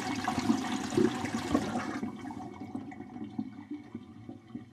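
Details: Kitchen sink drain with its island vent disconnected and a Studor air admittance valve fitted: water rushes and gurgles down evenly, then fades with no hiss or sucking; the drain vents properly.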